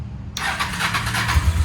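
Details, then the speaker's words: Hawk motorcycle with fuel hooked up directly, bypassing the suspect pump: the starter whirs briefly, then deep uneven thumps as the engine catches and runs now that it gets fuel. Engine starting. "oh yeah she likes fuel i don't think she was getting any before oh yeah she wants it did you hear the little hawk purr that's a good sign ladies and gents that's a good sign"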